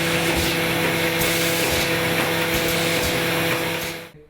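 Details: AccuCreaser air-fed machine in crease mode with under-250 mm sheets (trifold): constant whooshing vacuum hiss with light periodic feed clicks, then a clean shutdown; normal running.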